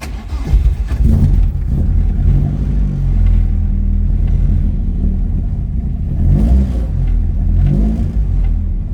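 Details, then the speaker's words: 1976 Ford Escort GL track car with a Mazda 6-speed box, started after a couple of throttle pumps: it catches quickly, then rises and falls crisply through several throttle blips with no misfires or knocks. Normal, healthy start and rev. "Runs really well."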